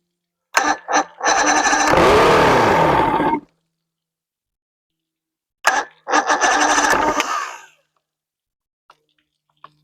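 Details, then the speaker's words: 1993 Evinrude 115hp outboard, unknown history, reportedly last ran about two years ago, started on the fuel primer solenoid: after cranking, two short ragged, uneven bursts of running before dying; not firing on all cylinders. Owner suspects dirty carburetors needing cleaning and rebuild. "It ain't running on all four though, I'll tell you that. I think those carburetors need to come off. Those carbs are dirty."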